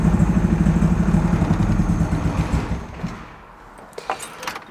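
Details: Rebuilt high-compression turbo Miata with mechanical and base timing set, downpipe on: lumpy uneven idle loping about three pulses a second, sounds down a cylinder; compression test found 200 psi on two cylinders, zero on three and four.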